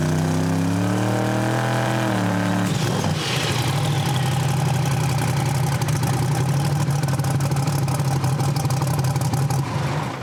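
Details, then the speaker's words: Drag car engine leaned out in good air on the 2-step launch limiter after much fuel was removed; steady rough drone after a rev, won't come up, sneezes twice; misfire on launch. "So now it's so lean and good air, it won't come up on the 2-step. I had to take so much fuel out of it before trying to get it to come around. Now it's unhappy. Heard it sneeze there twice and whatnot."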